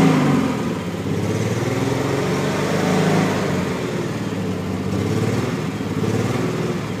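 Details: Triumph TR6 six-cylinder engine running with an uneven, stumbling beat and irregular exhaust chuff; misfire failure.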